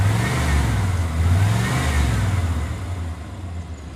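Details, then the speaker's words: 1993 Chevy 1500 V8 after sitting 16 years, just restarted with new battery and warming up: revs up and down with a smooth, even low rumble; suspected miss but none found; normal rev. "Almost sounds like it's got a miss. No, there's no mess. Never mind."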